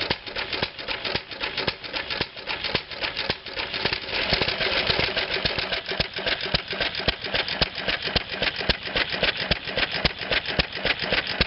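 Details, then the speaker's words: Antique flywheel engine fitted with a homemade glasspack muffler for a more mellow tone. Steady chuffing pops about two per second with a soft metallic clatter, ticking over evenly. "Now we've got a glass pack muffler. Now, let's start that engine up and see what it sounds like out there."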